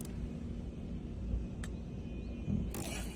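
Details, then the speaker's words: Genesis GV70 after engine shutdown: a few sharp clicks from near the front radiator support for about three seconds; normal digital key search, not a fault. "이 소리가 디지털 키를 이제 찾는 그 소리거든요. 이게 뭐 문제가 있거나 그런게 아니라 어 정말 자연스러운 현상입니다."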